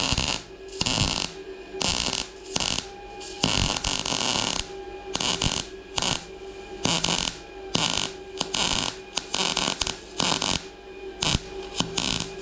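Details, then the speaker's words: A Bestarc MIG145 MIG welder at maximum setting lays a bead on thick, somewhat rusty steel. A crisp, even frying sizzle comes in short bursts with no popping or spatter breaks. Normal MIG welding arc. "That's just down here. That sizzling and frying sound. You see how it starts coming around?"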